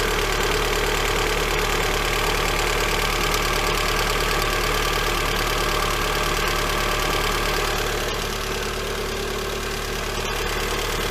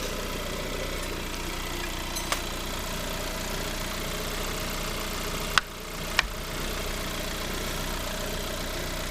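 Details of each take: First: Lada Granta 126 engine first start after full rebuild, knock present cold and hot: steady idle with light even ticking about three to four a second; one hydraulic lifter found sitting higher than the others. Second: Lada Granta 126 engine after full rebuild, two failed hydraulic lifters replaced, belt tensioner clearance fixed, MAF unplugged: even, steady idle without ticking or knocking, only stray handling clicks; engine healthy.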